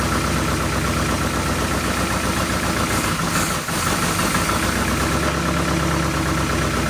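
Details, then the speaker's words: 1972 Oldsmobile Cutlass S four-barrel, off the road since 1987 after 33 years in storage, first revival with the carb bowls hand-filled: loud, deep idle that wavers and stumbles before settling. Rough idle, possibly on old gas. "hang on they actually idled let me fill the bowls again"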